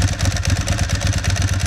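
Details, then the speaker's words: Ducati 996 idling: loud lumpy idle with a regular metallic clatter about eight times a second on each beat; the typical, healthy Ducati dry clutch rattle. "And the second major noise that you're going to get is from the clutch. And yes, that is the way the clutch sounds. That is a typical Ducati dry clutch."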